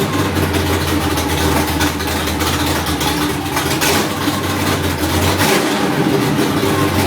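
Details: Third-gen engine idling after a cold start: a wavering, unsteady note with uneven pulses over a loud hiss. Rough idle.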